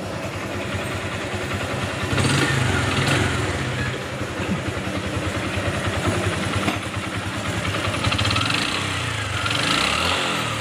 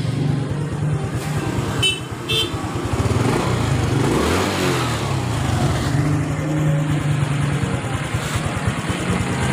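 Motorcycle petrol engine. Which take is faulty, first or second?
first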